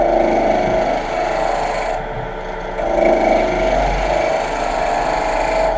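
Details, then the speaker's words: Wood lathe, sharp turning tool cutting a spinning workpiece: even, continuous shearing hiss with no effort, a sharp edge cutting cleanly, unlike the dull tool that tore out the wood. "there's just no effort no effort involved with that"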